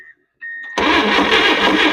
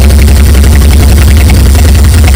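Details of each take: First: Late-1950s GMC pickup (1957 or 1959) pulled from a junkyard after more than 30 years, first start attempt: a brief crank, then the engine barks roughly and loudly but does not hold running; lack of fuel is suspected, and it is leaking oil. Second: 1959 GMC 100 pickup with a V8, recovered after over 30 years. Now running without oil leaks and with coolant in it, it holds a deep, even V8 rumble with no misses or knocks: normal idle.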